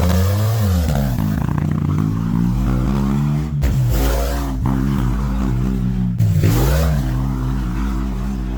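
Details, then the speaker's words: 650cc Joyner side-by-side engine after a head gasket replacement and a 55 A Toyota alternator upgrade: steady throaty run that pulls up cleanly on two throttle blips and settles back, no knocks or misses. Running normally. "so now that's all together let's fire it up see if it's charging I did use starting FL when I started the first time so started really nice quick all right"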